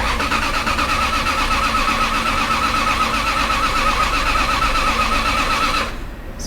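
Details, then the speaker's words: Bentley Arnage T that sat about two years in desert sun, on its first start after reassembly, earlier had a misfire: the starter churns with an even pulsing beat for about six seconds without firing, an extended crank before it eventually starts. "let's just wait and give it another crank I guess there we go sounds okay I think"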